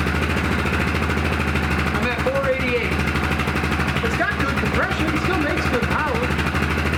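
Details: Old Yamaha YFM660 Grizzly warming up: a steady, even low idle with a smooth, unbroken beat and no knocks or ticks; the engine sounds healthy.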